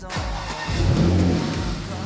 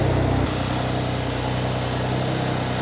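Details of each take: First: Rebuilt wrecked Porsche Macan Turbo, first start after repairs with air intake refitted: catches at once and revs cleanly and strongly, no hiss or stumble. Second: Porsche Macan Turbo after wreck rebuild, first start with air intake not yet fitted: even, busy idle with loud rushing suction as the turbos draw through the open intake; intake noise with air intake removed.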